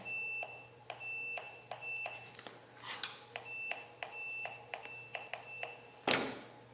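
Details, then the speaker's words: Continuity meter beeps about a dozen short chirps as a factory steering wheel cruise button grounds to the blue wire, confirming the trans brake input works for a Holley Terminator X on a twin-turbo 5.3 LS Ford Ranger. "so that trans brake out works and I'll switch over to the bump button again connect to the blue which is going to be the ground in I hit my set accelerator button and now my bump works"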